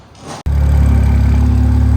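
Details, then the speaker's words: Freshly built BMW 335xi engine, first start with no coolant, run briefly: brief starter whir, then it catches into a deep, even, steady idle with no misfire or knock; healthy. "all right boys we did it she's running running real good i'm not gonna let it run too long because there's no coolant in the system"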